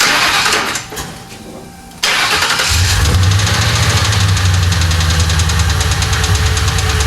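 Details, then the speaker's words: 1995 Lincoln Mark VIII 4.6 4V Ford Modular V8 after timing set replacement following timing chain failure: fires after short crank and idles with a steady, fast knock keeping time with engine speed; rod knock suspected. "It starts. It's not good though. No? Still making noise?"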